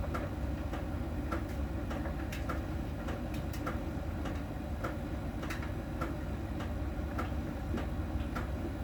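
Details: Miele dryer during drying: soft ticks roughly once a second over a low drum rumble, one per turn. A small ball sensor rolling over the drum ticks when it touches a contact spot on the drum's outer surface; this is normal.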